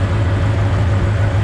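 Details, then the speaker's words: LS1 V8 in a GU Patrol on first start after a rear main repair with the gearbox out and refitted: smooth, even, deep steady burble at idle with no knocks, ticks or misses, a normal idle. "started right up that's the genuine first start [Applause] idling beautiful but beautifully"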